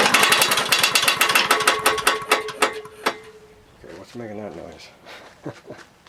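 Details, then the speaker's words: Husqvarna lawnmower that quit on its own and smokes: rapid sharp metallic knocking about four per second, dying as engine stops; owner suspects bad connecting rod with lots of slap, unconfirmed. "what i'm thinking is it's got a bad rod there's a lot of slap in there"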